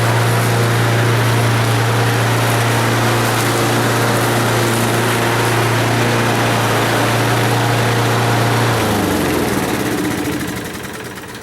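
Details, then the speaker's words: Given-away lawn mower, being road-tested mowing dandelion stems: small single-cylinder engine holds a steady even drone under load, then winds down smoothly; starts well and runs nice and smooth, a good motor. "but yeah she starts real good runs nice and smooth so that's a good motor"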